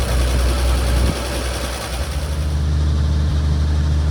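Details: 1950 Chevrolet 4400 dump truck being revived after years of sitting, cold start on choke in neutral with clutch in: deep low rumble drops after a second into steady even idle; normal cold start idle.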